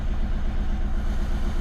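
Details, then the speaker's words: Audi A1 diesel with the engine management light on and glow plug light flashing: lumpy idle with a stumble repeating each cycle, rough enough to feel through the car. One cylinder is dead from a faulty injector. "Start the vehicle up. You can already feel it's running rough. You can feel it through the car."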